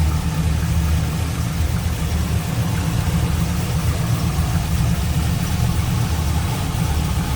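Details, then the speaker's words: 2002 Chevrolet Camaro SS, 5.7 L LS1 V8, 26,382 miles, cam, cold air intake, headers, no cats, true dual exhaust, no check engine light: deep, steady V8 idle burble with an even rhythm, no ticks or knocks; healthy. "Let's listen. Cold air intake, cam, headers, no cats. Here it is, 5.7 liter LS1."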